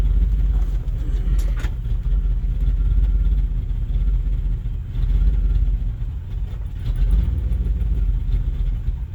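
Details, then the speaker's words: 1989 Chevy R30 cab-and-chassis, 5.7 TBI, SM465, rebuilt throttle body with new regulator, new 60 psi pump and sensors: idle rises and sags every couple of seconds, never settles, then dies with no throttle response. "There's that idle I was talking about. Good, and it just dies. No throttle."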